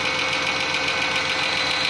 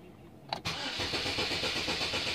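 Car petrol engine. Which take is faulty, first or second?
second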